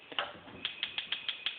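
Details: DCS (Dynamic Cooking Systems) RGS-305SS-L gas stove: sharp, steady igniter clicking about six per second that won't stop, even after lighting; caused by the faulty five-point spark re-igniter module, fixed by replacing it.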